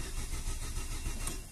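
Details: Chevrolet Aveo 1.6 ETEC II, timing belt, spark, coil and crank signal confirmed OK: starter cranks with steady churning rhythm but never catches; diagnosed as fuel pump failure, no fuel.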